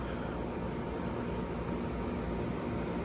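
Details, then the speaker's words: 2012 Frigidaire 18,500 BTU slide-out chassis window/wall air conditioner, R-410A, 220 V, almost 14 years old, first startup after months unused, about 88°F outdoors, fan on low; refrigerant hissing audible. Even air rush, smooth low hum, no knocks or rattles: normal running on low fan. "You can hear the refrigerant hissing because it hasn't been ran in months."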